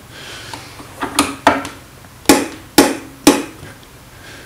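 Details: Common rail injector on the bench, driven by an MM03 mini tester at 120 V in manual mode, firing only while the button is held: crisp single ticks about twice a second, unevenly spaced. Normal injector ticking.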